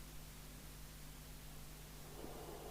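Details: 1990 Midland 77-805UK Port-A-Pack CB27/81 UK FM CB radio on 12 V bench supply, no signal: only a faint constant hiss, no muting; low receive audio and no squelch operation caused by multiple faults, before repair.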